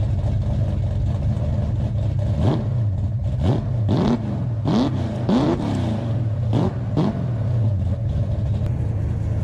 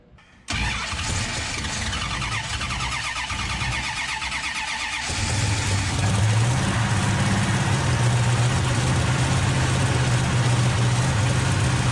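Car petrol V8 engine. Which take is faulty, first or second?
second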